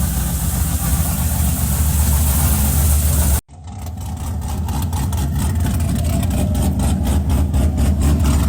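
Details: Cadillac CTS-V first gen, freshly built engine with custom 13:1 compression, CNC-ported LS3 top end, E85 build, first startup; deep lumpy choppy big-cam V8 idle, steady on all cylinders. Normal idle.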